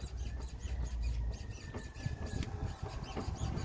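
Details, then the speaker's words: Mercedes C63 loaded on its wheels, steered left and right: high chirpy rubbery squeaks over low rumble; possibly early ball joint wear, cured by spraying PB Blaster on control arm bushings and ball joints. "completely under the load you should hear it when you turn left and right well we hear that squeaking part"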